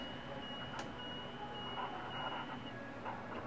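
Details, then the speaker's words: 2015 Tiffin Allegro 36LA gas Class A motorhome: high thin electronic beep over low hum, with red dash light, warning that HWH leveling jacks are down while key is on. "the red lights indicate the Jacks that are down and the beeping you hear along with the red light on on the dash there tells you that your Jacks are in fact down and the key is in the the on position"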